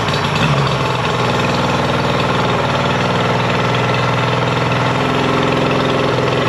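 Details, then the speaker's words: Mercury 50hp two-stroke outboard after a full service and carb sync and link: a flat, lumpy idle with a hollow beat, as if running on one cylinder. Spark is lost; tests show a bad CDI/switch box. "Awfully flat. It sounds like it's only running on one cylinder, honestly."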